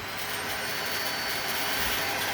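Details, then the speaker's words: Dyson stick vacuum running normally with a steady high whine and even airflow after being fixed; the howl on switching on or off was caused by the filter. "But I fixed the problem of that noise. So your hoover isn't broken."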